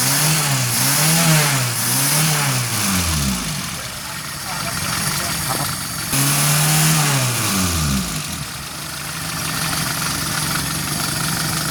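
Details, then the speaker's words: 1989 Suzuki Forsa after new, cleaned spark plugs and a carburetor cleaned of oil on its lip; the earlier misfire is gone. Two blips that settle back to a steady, even idle; it revs freely and sounds healthy. "Beda banget kan, Lur? Setelah kita ganti businya, kita bersihkan businya, kemudian kita bersihkan karburatornya. Suaranya sudah los banget, Lur."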